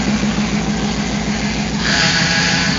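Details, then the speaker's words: Hemi V8 with aftermarket cam and Flex-a-lite fan: lumpy cammed idle with a thin steady whine over it, from a power steering pump drained of fluid. Fix is adding fluid. "yeah that's what it is I drained the power steering it's just whining isn't it"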